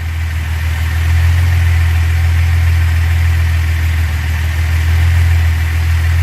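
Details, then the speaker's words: 1970 Datsun 240Z (VIN 187) road test: deep steady drone at cruise with no whine or bearing growl; transmission much quieter than before, feels solid. "Transmission's much quieter. Oh, that feels great."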